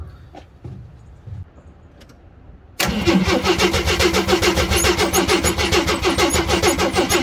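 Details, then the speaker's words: 1979 AMC Jeep J10, 258 inline-six, fuel pump fed directly from a gas can: starter cranks steadily about three and a half turns a second without catching; owner suspects a vacuum leak. Extended cranking, no start. "Alright, attempt 3. I'm going to crank it over until hopefully it picks up fuel."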